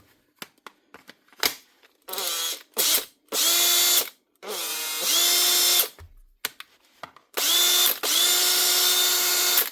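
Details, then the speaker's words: Makita 18V brushed cordless drill, a 2021 machine, quick test after reassembly: short bursts of clean, steady high whir rising and settling evenly, with no jitter at low speed. This indicates the armature is okay; normal motor run. "Just the sound of the motor is the best thing to actually tell to see how good the armature is, especially at low speed. If you hear any jittering, generally it's a sign the armature is bad, but that one is actually okay."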